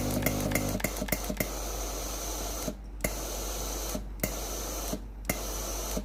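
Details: Philips PSG7014 steam-generator iron with a no-steam complaint, during the diagnostic test before the pump is replaced: a few clicks, then repeated hissing steam bursts with short pauses. Steam output is normal, confirming only the water pump has failed.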